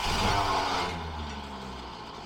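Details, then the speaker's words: 1976 Mercury Marquis V8, first start after a no-spark no-start repair, throttle cable refitted, vacuum advance hooked up and fuel line trimmed: smooth, even low-RPM rumble without misses, popping or hissing; sounds much better. "wow this sounds a lot better let actually have low RPM of course it's a lot better haha"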